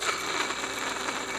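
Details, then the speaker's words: 2003 Chevy Tahoe belt idler pulley, removed and spun by hand during an AC compressor job: a dry, gritty rasp with a faint rattle. The bearing is worn, with play, rough rotation and weak tension; it was replaced with a new pulley. "probably run a while but it got a little play to it and um not real smooth also the tension isn't incredibly strong"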